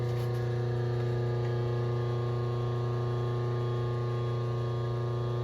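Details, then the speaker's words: A rotary phase converter hums in the machine shop background while a Honda K series block is indicated and shimmed for decking: a constant deep, buzzy electrical hum with no change in pitch; normal converter hum. "sorry for the h of the phase converter in the background I can't do much about it I can turn it off I guess"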